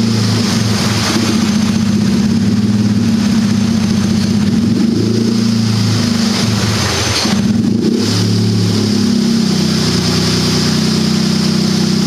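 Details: Turbocharged buggy, ice-cold start after setting the fuel level lag factor to maximum smoothing: steady, even idle with clean throttle blips that rise and fall smoothly, no hunting or stalling; idles better than ever.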